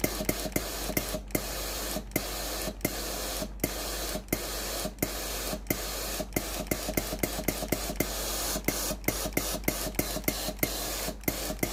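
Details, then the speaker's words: Philips PSG7014 steam-generator iron after its failed water pump was replaced (the customer's complaint was no steam): sharp pump clicks every few tenths of a second over a soft steady hiss. Water feeds the boiler and steam output is normal. "ตอนนี้ไอน้ำออกปกติแล้วนะครับสรุปอาการเสียของเตาที่ยี่ห้อฟลิบนะครับอาการที่ลูกค้าแจ้งไอน้ำไม่ออกนะครับ"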